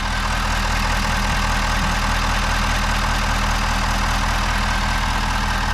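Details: 2021 Ford F-250 6.7 Powerstroke diesel after changing both fuel filters and priming: deep, steady idle with even low rumble, no stumbling or air-lock roughness; runs normally.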